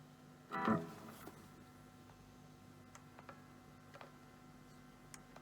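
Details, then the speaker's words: Epiphone SG G-400 electric guitar into a small Marshall amp: one pluck then a steady low hum persisting with hands off the strings; grounding fault, broken ground solder joint at the output jack. "okay so it's some sort of groaning issue you can hear the hum I take my hands off but still makes noise"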